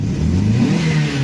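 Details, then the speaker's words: 1998 Dodge Neon, single-cam automatic, 147,660 miles, oil leaking, warm, driving: engine revs with an uneven stumbling note, missing beats under throttle; misfire, before plugs, wires, valve cover gasket and PCV were replaced. "So, yeah, it misfires on me. Yeah, not good."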